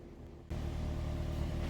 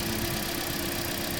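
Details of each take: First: 2016 Toyota Corolla 1.6 after repair of heavy misfire with codes P1603, P1604, P1605: steady, even idle hum with no skips or stumbles, then quietens down; engine running cleanly, no misfire. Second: 2016 Toyota Corolla 1.6, over 1 lakh on the clock, unknown history, idling rough and uneven under a steady drone with a stumbling beat; heavy misfire, codes P1603, P1604, P1605; clogged injectors or fuel filter suspected.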